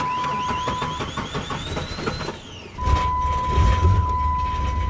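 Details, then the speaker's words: 1998 Jeep Grand Cherokee 4.0 inline six, hard start: uneven starter churn of about four beats a second, a pause, then it catches into a deep rumble and idles fine. It backfires through the intake at 1500 rpm. Sensors, ignition and fuel pressure were checked fine; timing is 6 degrees advanced, and the owner suspects the timing chain and sprockets. "you can see that it has difficulty starting but it idles fine hopefully heard that"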